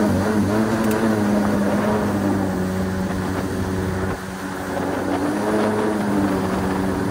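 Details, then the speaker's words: 1996 Yamaha Waverunner III, jet pump worn by salt water with impeller in terrible condition: engine buzzing at steady revs that wander and sag from pump cavitation, before pump replacement. "we're going to take it out of commission and swap in a new one to get rid of this horrible cavitation as you can hear"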